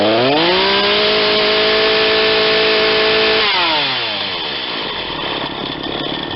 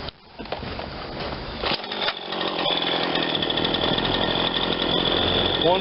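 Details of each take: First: Ryobi 40cc chainsaw with 20-inch bar, warm after a hot restart, revved twice to a clean high scream and dropping back to a smooth idle; carburetor a hair lean on the high side but left as is. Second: Ryobi 40cc chainsaw after primer bulb and carburetor work, hot restart after a minute or two of running: short pull fires straight up, steady buzzy high idle without stumbling; high speed possibly slightly lean, otherwise runs fine.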